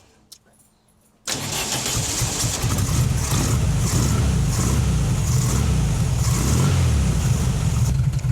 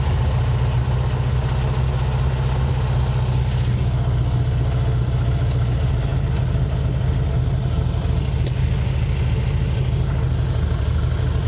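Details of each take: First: 1968 VW Fastback with dual carbs, started cold before tuning and carb sync, idles slightly rough with a loping beat and too low. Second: 1968 VW Fastback with dual carbs, just tuned via the volume control screws: a steady, even low rumble at idle with no misses, running well though idle is slightly high and due to be turned down at the main idle screws.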